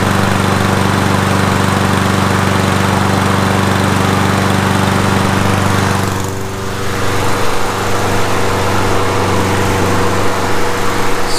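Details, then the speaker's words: Toro Super Recycler lawn mower after spring tune-up with oil change and spark plug refitted: steady, even buzz with no misses or knocks, a brief dip in speed then smooth again; healthy normal running. "like a brand-new lawnmower to me now we're gonna let this run for about five minutes the length of oil circulate through the engine"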